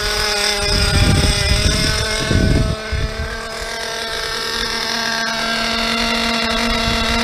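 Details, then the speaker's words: Nitro RC car engine: fast, steady high-pitched buzz with no dips; idle too high, low-speed needle then richened and high leaned. "So I'm not even used to hearing my cars idle. So it feels like, it sounds like we have kind of a high idle happening."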